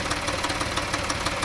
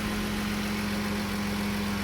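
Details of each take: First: 2014 Dodge Journey 3.6 after cam replacement, check engine light on: runs smooth and revs well at first, then after 30 seconds to a minute a light, sharp ticking rattle about six per second rides over the idle, source unknown, sounds like missing on cylinders. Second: 2014 Dodge Journey 3.6 after camshaft replacement, check engine light on: steady even idle with no misses, knocks or ticks, revs up well; owner says it usually turns rough after 30 seconds to a minute of running.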